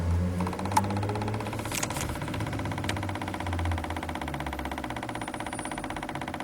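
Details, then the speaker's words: 2012 Chevrolet Spin at idle, owner-reported loose, tin-like knock: quick, even ticking about four per second that stopped immediately when the canister purge solenoid connector was unplugged; the solenoid was then removed. Canister purge solenoid tapping. "Então, o problema está nesse cara aqui, né? Esse aqui é a eletroválvula de canister, né?"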